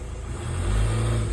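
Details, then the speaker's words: VW Touran Mk1 2.0 TDI BKD PD140 with a new head, new turbo and replacement tandem pump: the diesel drone rises slightly, then holds flat as in limp mode. With vacuum on the turbo actuator it won't rev. Owner suspects a vacuum issue. "Doesn't want to rev past there. So I'm a bit at my wit's end now."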